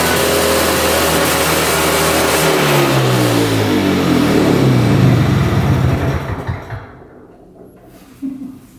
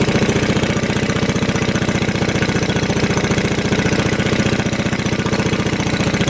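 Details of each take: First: 1965 Tatran 125cc two-stroke scooter, 20 original miles, first start after sitting 40+ years: buzzy engine catches, revs up and down with rapid even beat, then stops. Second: 1965 Tatran 125cc scooter after 40 years in a barn: steady cranking with no firing; spark intermittent despite cleaned points and new plug, owner blames the coil, also suspects low compression after a carb backfire.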